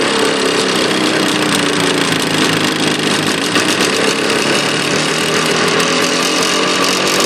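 Rattly two-stroke running with a sharp, rapid tapping riding over the exhaust buzz; there's a knock in the engine, cause not yet pinned down.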